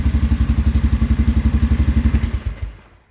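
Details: 2001 Sportsman AWD after fix: steady, even low thumping at fast idle, about four beats a second, then shuts off and winds down. Magnets had fallen off the flywheel and destroyed the stator; a used stator was installed, now running clean.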